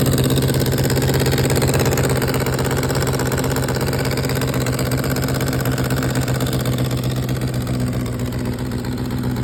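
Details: 2004 GSXR 600 four-cylinder motorcycle idling with rapid raspy puffing, then several quick throttle blips: a major exhaust leak.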